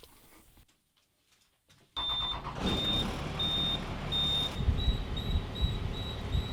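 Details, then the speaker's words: School bus engine running during a skoolie conversion: high, steady beep repeating about twice a second that won't stop; continuous warning beep, cause unknown. "you hear that beeping me too it won't stop"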